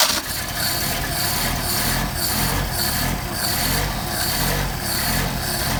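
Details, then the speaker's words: Engine with freshly rebuilt pair of Solex carburetors, cold start on choke after sitting a couple of days: fires, holds steady slightly lumpy fast idle, even exhaust pulses, no misses or knocks; healthy cold start. "I guess we might as well hit the switch and choke it, and let's see how this thing turns over after it's been sitting for a couple of days."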